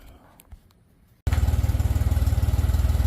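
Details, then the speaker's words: 1997 Honda GL1500 GoldWing SE after timing belt, coolant and spark plug service; engine catches after a quiet moment and settles into a smooth, even idle with no knocks or misses: normal running. "uh she's running beautifully just fine"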